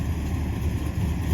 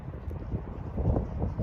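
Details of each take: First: 1976 Dodge Dart 340 V8: steady even low burble at idle with no ticks, knocks or misses; back to its old happy self; normal idle. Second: 1976 Dodge Dart 340 V8 after a one-wheel burnout over a crowned road, brand-new distributor, some tune-up changes: lumpy, uneven running with irregular stumbling beats and wind noise; stutter, cause not found.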